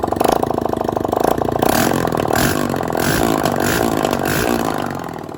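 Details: Honda CG 160 single-cylinder after engine rebuild (connecting rod and cylinder kit replaced; previously knocked badly and was hard to start): starts, blips throttle, settles to an even idle with no knocking or heavy clatter; engine sounds healthy.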